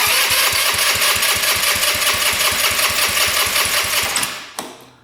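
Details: 2017 Tao Tao 150cc four-stroke scooter with the throttle open during a compression test after valve adjustment (the tight exhaust valve was corrected): the starter cranks with an even, strong chug of about 2–3 per second, reading 165 psi; compression healthy, though a possible ring issue remains.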